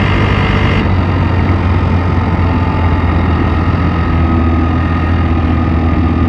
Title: Piaggio X9 500 Steuerkette Geräusche Motorgeräusche